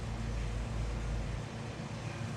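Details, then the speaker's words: Petrol engine that finally runs after the passenger-side coil pack harness, found installed backwards, was corrected; low steady rumble holding an uneven idle, firing on all cylinders. Engine running. "guys freaking coil pack harness was backwards damn dude"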